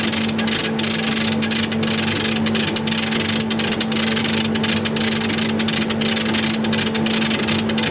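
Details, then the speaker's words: Chinese CO2 glass-tube laser cutter run via RDWorks, glass etching at about 133% power in short pulses, at 200 mm/s: steady low hum with hiss and soft pulses about once a second; tube firing normally, longer hiss back to normal. "you can hear how hissy and noisy it is now we're up to 200 mm a second you can hear this is a much longer his this has gone back to normal"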